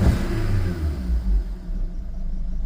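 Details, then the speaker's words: 2018 VW Polo, first start after repairing the board that caused lost communication and no-crank, no-start after battery replacement. Uneven low pulsing idle with a faint rattle; runs rough, and owner suspects a timing chain problem. "sounds like chain problem, and it's running rough too."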